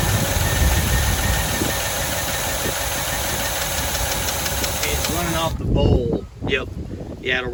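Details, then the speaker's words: 1985 Chevy C10 half-ton, 305 V8 with stock Quadrajet carburettor, start attempt five: engine catches, runs roughly a few seconds, sputters and dies, running off the float bowl only; fuel pump delivers to cracked leaking hose, so fuel starvation into carburettor. "we do have some leakage up here at that cracked hose but that also tells me the fuel pump is pumping up to here so the issues got to be getting gas into here"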